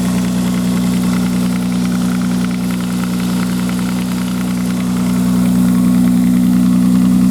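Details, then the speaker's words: 1995 Nissan Maxima, cold start: light, plastic-sounding ticking about four a second over a steady idle, disappearing after roughly three minutes once warm; owner mentions exhaust leak or tensioner, cause unconfirmed. "after it's been warmed up but then you don't hear the noise at all only the first couple of minutes has started up I would say probably three minutes on this"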